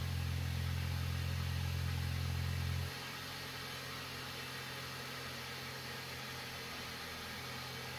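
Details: VW Passat that had an engine knock, after replacing a cracked intake manifold: it fires, holds a fast idle, then drops to a steady, even idle with no rattles, knocking or faults. Normal idle.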